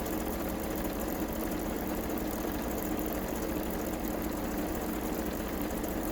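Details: Kenmore 385-19550 sewing machine being tested after repair of wrong pattern stitches and speed control, speed adjustment screw centred: steady, even whirring hum at constant speed, no knocking or catching; mechanism runs smoothly.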